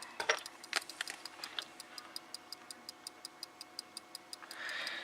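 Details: Samlex SEC-1212 power supply at power-up, sharp even ticks about five a second over a quiet hum as it repeatedly tries to start and fails; front capacitors also hissing; faulty supply before repair.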